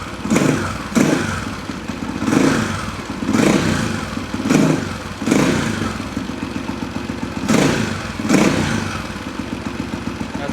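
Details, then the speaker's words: 1991 Husaberg 350 single-cylinder dirt bike, started after weeks unused, adjusted slightly. Steady thumping idle between quick throttle blips, each picking up cleanly; it stumbled on throttle before the adjustment. Normal idle and response. "sounds pretty good. Sounds very responsive. Initially, it was like stumbling right when you gave it that throttle."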